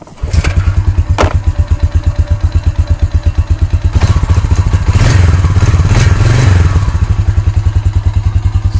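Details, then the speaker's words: Honda Rancher TRX350 ES ATV that would only click, checked while diagnosing the starter relay (solenoid) and starter: the single-cylinder engine fires evenly at a steady idle, rises briefly with throttle and settles back; healthy running. "starts and runs good so it should be starting middle hopefully"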